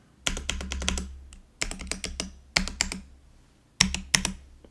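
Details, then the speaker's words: GoPolar TKL budget keyboard, stock prebuilt: bursts of clacky keystrokes, long keys landing with a hollow rattling clack, space bar worst, enter and shift slightly loose; poorly lubed, unbalanced stabilizer wires. "the worst one is the space bar so you can hear this rattle so I'm going to try fix this stabilizer"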